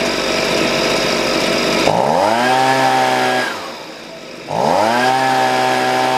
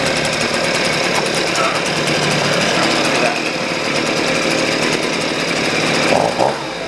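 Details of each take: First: Husqvarna 125B two-stroke after a new piston (old one damaged by straight fuel) and leaning the low-speed screw: the engine revs high, drops cleanly to a smooth idle and picks up crisply with no dead spot, so the carburetor is well adjusted. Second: Husqvarna 125B two-stroke blower after a new piston (old one damaged by straight fuel): a steady, buzzy idle with a slightly lumpy, soft edge, so the low-speed mixture screw is set a little rich while the high is almost perfect.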